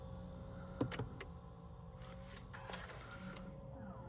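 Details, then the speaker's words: Honda in a quiet cabin: a brief motor whir with soft clicks as the electronic parking brake applies itself automatically when the car is shifted to P and switched off with the feature activated; working normally. "ඒ කියන්නේ ඔයාලට අමතක වුනත් එතකොට ඕටමිකtලි ඉලෙක්ටනික පාගි බරේක් එක apply වෙනවා."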